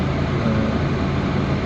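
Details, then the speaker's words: Proton Waja MMC, idle valve (stepper motor) returned for no cold start, tested in car: steady, even low hum around 800 rpm with cooling fan and air conditioning on, no hunting; idle settles quickly, stepper motor has no issue. "sekarang ni sebab kipas tengah pusing so dia punya step tinggi so dia berada di 8 set plus minus macam tulah dia punya RPM onkan akaun satu dia akan terus pergi 800 set dia akan adjust so dia lebih cepat daripada tadi dah"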